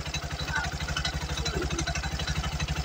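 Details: Bajaj RE single-cylinder engine after valve clearance adjustment, fresh oil added and cover refitted: putters at an even idle, about two and a half beats a second, previous tapping rattle in the cylinder head gone.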